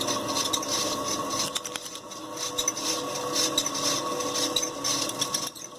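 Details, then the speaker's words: Hampton Bay Huntington III ceiling fan motor without blades, run in reverse: high, scratchy squeak and rubbing about three times a second over the motor hum; motor squeaks, needs work. "it's squeaking two more in that direction"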